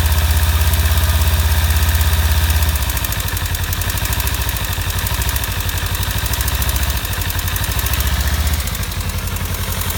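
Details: 2015 Kawasaki Ninja 300 twin at warm idle: quick, somewhat uneven light tick about three per second, appearing only once warmed up; owner suspects cam chain tensioner or loose exhaust header bolts, not confirmed.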